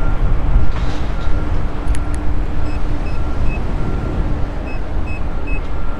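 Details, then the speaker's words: Nikola electric unicycle with a new control board, ridden at 0% reported battery during a range test: short high chirps every second or so over heavy wind and tyre rumble. Low-battery warning beeps. "you can hear that beeping a little bit okay and I'm at 0%"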